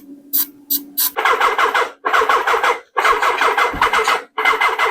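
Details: 1979 Suzuki GS1000 with a newly installed Dyna ignition and pod filters. The starter cranks in short uneven bursts with a brief near-catch, and it fired once but never runs. The charger indicates a bad battery: cranks but won't start.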